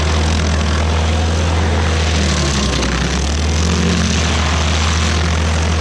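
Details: Rebuilt-motor stump grinder biting into a willow stump on its first job: steady deep drone with only a slight sag under load; engine pulls strong and healthy. Leftover oil on the heat shield cover burnt off that day.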